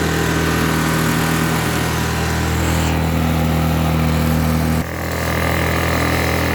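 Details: Blackridge 800 W inverter generator, about 2014, stored unused, running about 15 minutes on old dirty fuel; even steady drone holding pitch with a brief dip as load changes, running smoothly.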